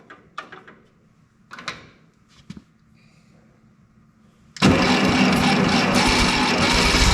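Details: 1952 Harry Ferguson TO20 tractor, run rough since running out of fuel; after a carburetor rebuild it cranks, catches and runs rough, sputtering and down on power: number two cylinder misfiring from a plug fouled by the poor-running carb, exhaust manifold cooler (~120°).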